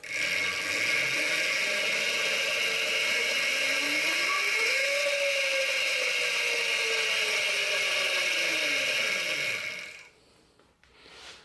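Steady whirring chain drive with a light regular ticking, pitch climbing then easing off as the motor spins up and coasts; runs fine.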